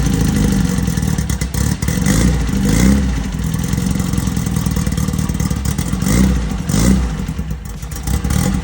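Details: 1968 VW Beetle rally car, newly installed air-cooled 1776cc flat-four, first start for break-in on a roughly 95° day: steady clatter holding an even beat with a few light blips; fresh engine running healthy, normal running.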